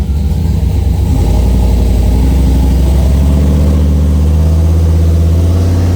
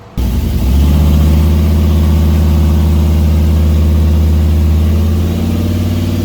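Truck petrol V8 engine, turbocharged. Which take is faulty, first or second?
first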